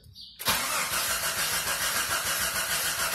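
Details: Jeep Grand Cherokee with codes P0320/P1391, weak battery, fuel and spark present: the starter spins steadily at about 3.5 turns a second but it never catches. Crank position sensor suspected and to be replaced.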